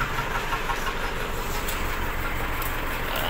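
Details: Isuzu D-Max diesel, hard starting: lumpy uneven idle like one cylinder dropping out, unburnt diesel smell, water mixed in engine oil on dipstick; suspected blown head gasket, running on three cylinders and overheating.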